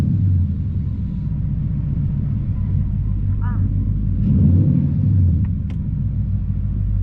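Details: 2011 Ford Mustang GT (S197) V8 idling after all 8 spark plugs were replaced: deep, steady rumble with no misfire stumble or uneven lope. It runs a lot smoother; the coils are still to be done.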